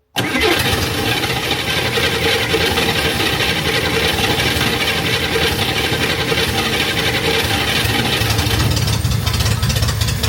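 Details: Chevrolet Corvair after a tune-up with replaced ignition system and carburetors, started to check for fuel leaks. The engine catches straight away and settles into a loud, steady idle with no stumbling or misfire; runs smoothly.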